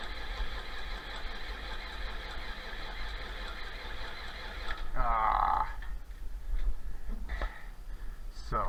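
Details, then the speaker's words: 1966 John Deere 4020 diesel after an injection pump install, with fuel reaching all injectors: steady starter cranking that never fires. The injection pump is timed 180 degrees out. "right there's the uh injection pump marks timing marks they're lined up that's uh 180 degrees out that's why it's not running"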